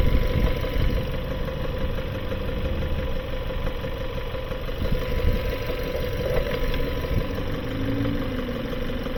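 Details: 2018 Kia Sorento just past 100,000 miles, smoking: steady low idle with a dull knock and a rough, breathy undertone. Blow-by past worn piston rings and internal engine failure; the intake must come off to inspect the valves and springs.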